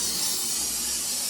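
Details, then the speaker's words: Bathroom sink hot tap just after water is turned on to a newly installed 40-gallon electric water heater: steady loud hiss of air blowing out, no water yet, as the tank fills. Normal air purge, required before powering the element. "Got the hot water on and you can hear it just blowing air. And it's going to blow all that air out of that tank."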